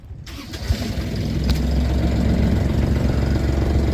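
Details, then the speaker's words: Sailboat engine after replacing the Morse throttle cable because it was not reaching full RPM: it catches right away and holds a steady, deep, even drone at full RPM with no misses; the tachometer wire may be loose. "out now that's full RPM so the tachometer wire might be loose but I'm happy with a throttle cable"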